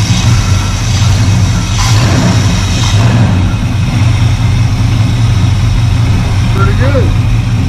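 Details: 1985 Chevy C10 with 307 small-block V8 after replacing the Quadrajet with an Edelbrock carburetor and setting the carburetor: deep, steady idle with even low rumble, no stumble or misfire; runs smoothly.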